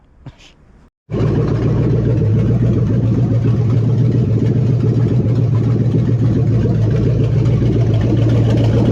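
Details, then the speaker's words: 1970 Dodge Charger 383 four-barrel V8 on its original carburetor: catches after a short crank and settles into an even deep rumble with no misses or knocks, more responsive than the previous carb; running normally, though coolant temp is high from a clogged filter. "Sounds like it's running pretty good now. Fix the leaks. And this carburetor is way more responsive than the other one."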